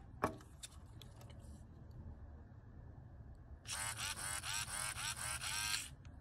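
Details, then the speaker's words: Bubba fish/largemouth lure animatronic with heavily greased mouth gear mechanism (gear missing about five teeth), skin and speaker wire off: soft even whirring, no clicking, runs smooth and quiet. "See, it's not very loud either. Yeah, I might add a little bit more, I'm not really sure. But for right now, it runs really smooth."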